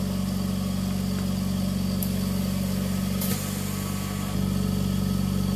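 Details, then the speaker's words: Invacare Perfecto oxygen concentrator: steady low compressor hum with occasional sharp clicks as the valve switches, pressurizing and depressurizing the sieve beds; normal valve switching. "barely heard a clicking sound how it changes to save beds and depressurizes them and pressurizes them"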